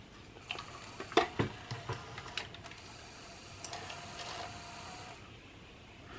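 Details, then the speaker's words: National (Panasonic) NV-3000 portable VCR, likely needing new belts: quiet whirring with scattered irregular clicks and ticks but no steady playback motor sound; deck ejects the tape but won't play it, cause unclear. "it's not playing the tape but it is now pulling it out I haven't done anything so I don't know why"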